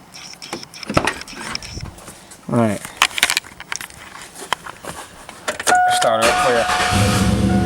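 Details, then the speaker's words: 2001 Chevy Silverado 5.3 Vortec V8 started on the stock intake, before a Flowmaster Delta Force cold air intake install: settles into a steady, even idle with a mean exhaust note. The fan belt noise is normal for this truck. "over here for the exhaust she sounds absolutely mean especially when she's cold that's just awesome that's just absolutely awesome you know that fan belt noise that's that that's normal absolutely normal for this"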